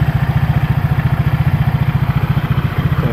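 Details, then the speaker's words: Honda PCX scooter fitted with a Yamaha Aerox pulley, about 6000 km later, after cleaning the CVT: soft, even idle with no belt-drive rattle or slap, mic held close. Quiet and healthy. Normal idle. "enak kan, kalem suaranya. Coba mic-nya saya dekatkan ya, pasti suaranya nggak begitu keras."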